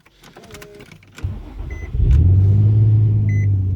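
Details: 2006-2008 Infiniti FX35 after 9–10 hours sitting on a chilly morning, day after installing a revised AC amp to cure hard cold starts: short starter whirr, catches first try within a second, settles to steady even idle; clean cold start.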